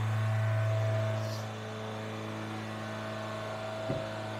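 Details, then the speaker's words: Suzuki Sidekick project, fuel-injected, just fired up cold: fast, steady, high-pitched idle around 3,500 rpm with no dip; idle far too high, cause not yet known, hoped to drop once warm. "sure be nice if it didn't idle quite that high I'm thinking we're about 3 500 RPM"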